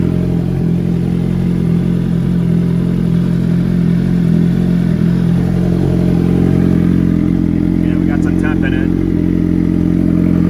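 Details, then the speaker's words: Freshly built turbo Hayabusa engine, first start on the same tune and fuel it ran on the street, fuel pump primed beforehand: loud, deep, steady idle about four beats a second, no knocking or misfire; normal idle. "Well, there we have it, guys. The first start. Actually really surprised it started up."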